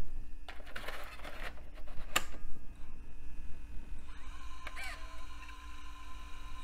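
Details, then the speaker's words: Zip drive in a retro laptop from an e-waste haul, tested after the system was found running poorly: a soft whir rises as the disk spins up, then settles into an even spin with faint clicks; the drive works normally. "okay it spins up I'm guessing it's F Drive and it works awesome"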